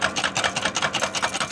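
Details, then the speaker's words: Volkswagen Jetta right front axle, customer complaint of front-wheel noise: rapid, even metallic clicking about five a second from the worn inner CV joint with a damaged ball cage. "so this is a the inner axle cop most definitely the the cage so there's a cage in here with some slugs ball slugs ball like slobs"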